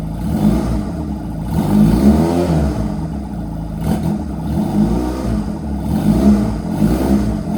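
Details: Honda Rebel 250 on its first start after sitting about 27 years, choke fully down; picks up cleanly on each rev blip and settles back smoothly with no popping or hesitation. Needle adjusted; fuel tank off; battery weak; runs healthy.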